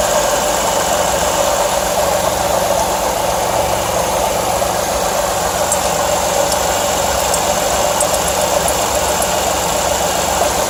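Constant dense rattle over a steady idle with no change in speed; something is clearly off, but the source can't be pinned down. Cause suspected, not confirmed.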